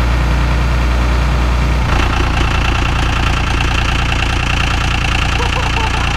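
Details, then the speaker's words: VP44 Cummins diesel cold-starting at -25 in B.C., Canada: it cranks and catches in about two seconds, then settles into a fast, slightly lumpy idle. This is the normal three-cylinder cold high-idle warm-up mode, with exhaust gas temperatures around 600. "That's that three-cylinder high idle. We're sitting at just about 600 EGTs right now."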